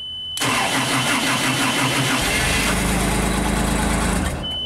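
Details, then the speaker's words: JLG 260MRT scissor lift, carbureted engine with electric fuel pump, starter recently replaced: catches at once, runs roughly about four seconds, then stalls; cause unknown, loss of spark or fuel pump suspected. "a few seconds of runtime and then it stalls out place your bets now this is a carbureted version so shouldn't be too hard to figure out"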